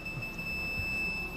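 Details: Aftermarket front and rear parking sensors on a Kia Sportage: high, near-continuous electronic tone as a sensor detects a close obstacle such as the shop's edge.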